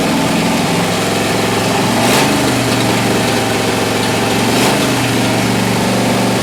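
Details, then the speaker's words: Martin rat rod engine first run in over 20 years on straight headers, warming up: loud, fast idle with uneven, lumpy beat that never settles; owner plans to rebuild the center carburetor for a smoother idle — rough high idle. "I guess I'm GNA have to rebuild that Center carburetor to try and get a nice smooth idle out of it but that's the first time that motor's been run in over 20 years and it sounds good"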